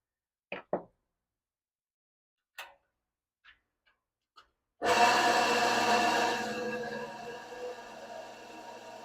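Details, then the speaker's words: 1978 Associated Machine Tool 12-speed vintage drill press running with a steady even hum after fitting temporary size-26 V-belts and lubrication; sounds as before, bearing feels good. "yeah that sounds better that's what it sounded like before"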